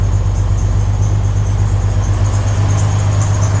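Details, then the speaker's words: Jeep Wrangler 4.2L with new Motorcraft 2150 carburetor, cold start after two pumps of gas: steady, even idle, slightly high because cold, no stumble or miss, some belt squeal noted; normal cold idle. "So it is idling a little bit high because it's cold. There's no heat in it."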